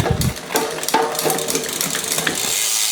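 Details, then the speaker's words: Trek 1x hardtail MTB, unserviced 5–6 years, Shimano rear derailleur after service and L-screw limit adjustment, on the stand: crisp quick clicks as the chain steps across sprockets, each shift landing cleanly without grinding or chatter; normal shifting. "Yes, it does. The Shimano. Oh, working lovely."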